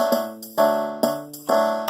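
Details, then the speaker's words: Lowrey L2 organ after repair: crisp organ notes and bass on a steady beat about twice a second; rhythm section working normally. "And look at that. All in one night, ladies and gentlemen. That rhythm section is jamming, the bass is going."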